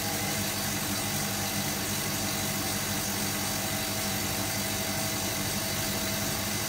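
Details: Hotpoint Supermatic De Luxe 9414 twin tub on its final spin after a warm rinse, new belts fitted: steady even whirr with constant hum, no slapping, squeal or knocking; normal spin.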